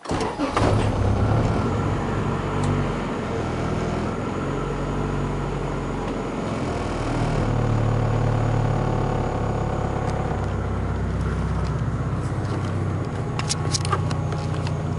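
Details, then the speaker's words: Newly installed Grams Performance 255 fuel pump, replacing a failing Walbro, in a turbo 1996 Integra after sitting a couple hours: brief soft pump hum priming at key-on, then a steady, even, quiet idle with no whine or stumble. "I'll turn the key to on so you can hear it prime, and then once it's primed, then I'll start it up so you can hear it at idle."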